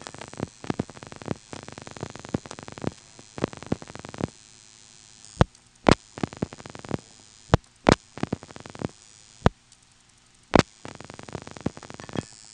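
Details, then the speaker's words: 1977 Elizabeth City NC step-by-step exchange, dialing 232-2899: rapid bursts of relay clicks with pauses and heavier clunks. This is normal director pulsing, four events deciding the route and dialing 6 for Tandem plus 2, 9, then pulsing after each digit. "And those 4 events are making the decision and then dialing 6 for Tandem plus 2, 9, which reaches the 232 office by way of the Tandem. So it'll be 232, and then you'll hear 4 pulsing events, and then we'll dial 2899, and after each of those digits you'll hear pulsing as well."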